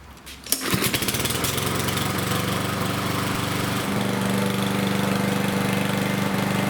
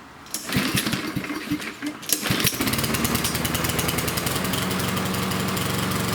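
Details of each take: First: Yard Machines lawnmower with Power Mower engine after replacing an oil-soaked air filter: pulls over, catches at once and holds a steady, even single-cylinder beat, no surging or stumbling; runs properly again, no longer rich. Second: Yard Machines lawnmower with Power Mower engine: pull-start chugs, then rough uneven running that won't reach full speed, as if choked; running rich from an oil-soaked air filter.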